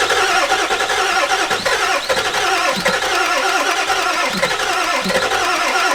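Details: Ford E350 4x4 van, 7.3 liter diesel, first start attempt, one glow plug burnt off. Starter churns at an even rapid beat without firing; extended crank, no start; owner suspects glow plugs were not held on long enough.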